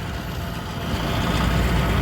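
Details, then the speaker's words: Truck "Blue" at an even, low idle with no stumble, tick or miss after new fuel filter installed and pump primed three times; normal running, no leaks at the filter lines. "three times and there he is he running like a top"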